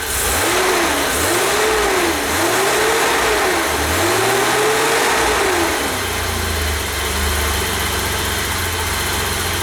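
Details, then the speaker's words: 1988 BMW E32 735iL, rebuilt M30 B35 straight-six, first start after rebuild, fuel pump primed: revs up and down a few times, then a steady, even idle with no knocks or misses; sounds healthy. "I have to say I'm quite happy with that."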